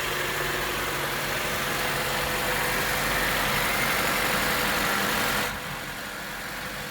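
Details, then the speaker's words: Acura TSX after replacing power steering o-rings and clamps to cure a cold-start sucking noise from air: engine idles evenly with soft hiss, no pump whine or groan while steering. "all right so i'ma start off and the noise is gone"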